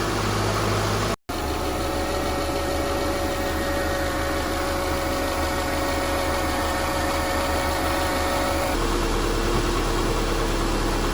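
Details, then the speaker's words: 2005–2009 Subaru Legacy started after power steering pump replacement to test the steering. Even, steady idle with no whine, groan or knocking. "So we're going to start the car to test the power steering. Sounds good to me."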